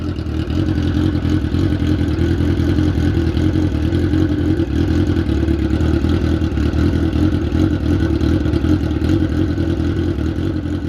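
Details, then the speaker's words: 2003-2004 Suzuki GSX-R 1000cc after 5 hours underwater in a lake, spark plugs changed: strong, even revving, steady throaty drone, no misfire or knocks; now running on all four cylinders. "the bike started working with all 4 cylinders."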